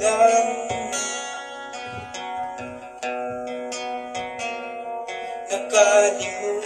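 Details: JBL Go Bluetooth speaker (orange) after repair of distorted "basag" sound: plucked strings play clean and full, with no rattle, buzz or crackle even on louder notes; the speaker now sounds healthy.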